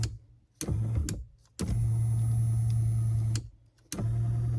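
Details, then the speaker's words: Power seat motor on a 1995 Impala SS, after the seat switch shorted out: short bursts of steady low motor hum starting and stopping with the switch, even pitch; seat motor working normally again. "Well, what the heck? That was weird. Did something I didn't like to begin with, but it works now."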